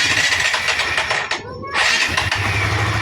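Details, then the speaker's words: New Barako II motorcycle at 327 on the odometer, still in break-in, hard starting cold and needing the choke. It fires and settles to a fast, busy idle well above normal; idle speed apparently raised to ease starting. "At napansin ko rito napakataas ng kanyang idle oh. Mataas yung kanyang menor."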